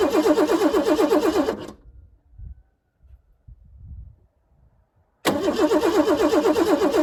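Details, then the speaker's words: 1988 Ford Bronco II cranks steadily with starter fluid but won't fire; no fuel pump whir heard at key-on, owner suspects dead fuel pump; truck had stalled and wouldn't restart before being parked. "So something's not right here. I think I have to take a closer look, see if the fuel pump is getting anything going."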